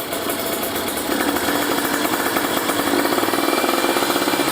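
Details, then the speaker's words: Kawasaki Ninja 150RR two-stroke fitted with a booster/ground cable, after carburettor rejetting: a wet, crackling, uneven burble at low rpm. The bottom end runs very rich and needs the air screw opened slightly. "Cuma bawahnya nih masih boros sih, harus buka angin dikit. Boros banget."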